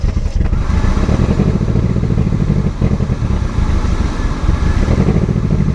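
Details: Barn-find Mercedes 190E after years off the road, first restart: loud, deep, blatting rumble swelling with revs, far coarser than stock, like a tractor; exhaust leaking through a holed rear resonator.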